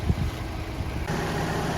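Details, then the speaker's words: Steady low, even idle with no knocks or misses from a Ford Ranger started and warming up cold outdoors while it is snowing; sounds healthy, normal idle. "all right guys i got it started up just getting her all warmed up snowing out here"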